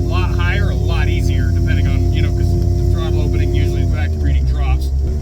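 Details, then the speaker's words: Ford 351W small block driving at part throttle with a DIY crankcase vacuum pump made from the factory smog pump. A steady, deep, annoying drone sits under the V8; its source is not confirmed. "It does make this really annoying drone though. I don't know if you can hear that."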